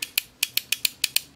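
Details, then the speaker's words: Astatic Silver Eagle Plus CB base microphone during repair, after reinstalling the element jumper wire: crisp sharp relay clicks, about eleven in a second and a half, as the mic keys; relay switching normally. "so now you can hear the relay"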